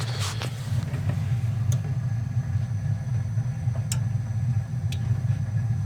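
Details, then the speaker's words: Goodman furnace (installed October 2010) inducer motor gives a steady low electrical hum with no spin-up despite confirmed voltage; seized motor, causing no heat and a burning smell. "so we do have a bad vendor motor I could hear it humming so we'll have to see if we can get you guys one"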